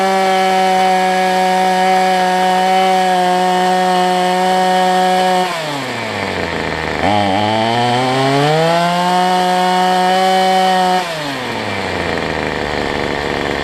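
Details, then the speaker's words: Cheap two-stroke weedeater number 2 on a new $6 replacement carb, air filter off, smoking heavily after running a while: steady high buzz sags low twice and climbs back; running rich and uneven before carb adjustment. "Running a while, look at the smoke coming out of it. I mean, if I blow it up, I really don't care."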